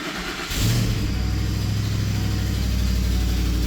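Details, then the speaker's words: 2010 Lincoln Navigator L, 5.4 L 3-valve V8, cold start: catches and settles into fast idle with light ticking in step with the engine from an exhaust leak; exhaust leak ticking. "So, you can hear that exhaust leak ticking and once the RPMs go down, it'll go away."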